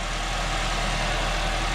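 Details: 2012 Honda Civic 1.8L just after alternator replacement: steady, even idle with a smooth low hum, no knocks or squeals. It charges at 14.34 V; normal healthy idle.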